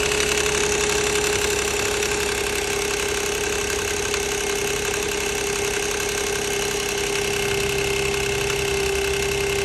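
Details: 2006 Nissan Maxima at idle: steady idle with a light, uneven metallic rattle around three per second over the engine; timing chain rattle suspected, not confirmed.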